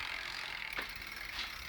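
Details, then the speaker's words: New Sturmey Archer X-RK8(W) 8-speed internal gear hub replacing a silent older X-RK8: silent in first gear, fine fast ticking ratchet chatter from second up, louder in higher gears; dealer says normal, owner disputes. "If I switch this into second gear, the noise starts happening. Okay. So, the higher I switch this, the louder it'll"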